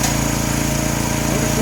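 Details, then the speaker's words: New 212cc Predator engine repowering a homemade log splitter (replacing a 5hp Tecumseh): steady high, buzzy rev with no hunting or surging, held at the highest speed the owner will run it. Normal governed high idle. "rpm this is a save range we've got all this range but this is as high as i will let it go"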